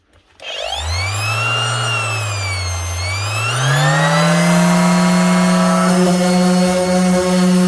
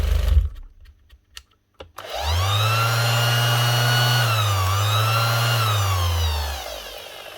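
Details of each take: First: 2021 Makita BO6030 5-inch Velcro sander after replacing the speed controller (had been running too slow): motor whine climbs quickly to a high steady pitch and holds evenly at full speed, no bogging or hunting; repaired, normal. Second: 2021 Makita BO6030 velcro sander that the customer says keeps slowing down: motor hum sags and climbs back as the speed wanders, with an odd smell that is not motor-like. Failing speed controller suspected.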